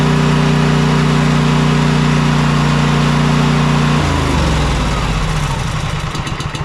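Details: Cub Cadet Enduro XT2 SLX50 mower, 679cc EFI engine, after cleaning and greasing the electrical connections: runs steady and even for four seconds, then winds down smoothly at shutdown. Normal running; the start issue is resolved.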